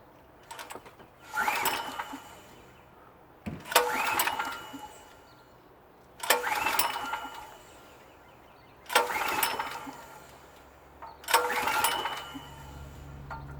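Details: PowerSmart PS44 3000W generator that sat unused since 2017, compression checked, no primer: five recoil pulls a few seconds apart, each a brief spin-over with no firing; cranks but won't start. Cause unconfirmed.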